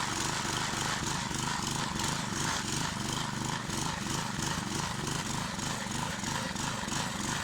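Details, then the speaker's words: Old 20-ton Clarke Log Buster log splitter, after sitting 12 years, with its engine replaced following carburetor troubles. Small single-cylinder runs at a steady speed with a regular, unbroken beat, splitting bigger logs without bogging or dying as before: healthy. "it's splitting much bigger logs than it was last time and does not seem to bog down and die on me like it was doing"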